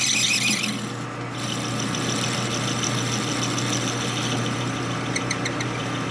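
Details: Lathe turning a 1960s Harley XL Ironhead kicker gear ratchet part: a steady high squeal rides over the spindle hum. The carbide insert has no cutting edge left on one side, so it rubs instead of cutting.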